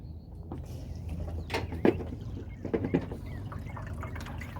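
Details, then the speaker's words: Newly plumbed outdoor hydroponic system, water tank full, first test: low steady pump hum under splashing and trickling water through the pipes; pump running normally. "Let's plug this in and I will show you how it works. Alright, we just plug it in and let her pump."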